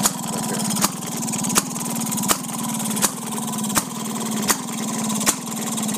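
Steady chuffing with a sharp pop roughly every three quarters of a second, even and unbroken; this old single runs healthy.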